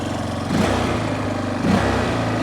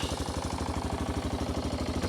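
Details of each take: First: 1993 Yamaha Big Bear 350 4x4 single-cylinder, after starting, settles into a steady even idle thump with no misses or knocks; it smokes a little when cold, none once warm. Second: 1993 Yamaha Big Bear 350 4x4 single-cylinder just started with the engine cold: fast, lumpy idle around eight beats a second, slightly uneven, puffing a little smoke and seeming to still want half choke; the smoke stops once warmed.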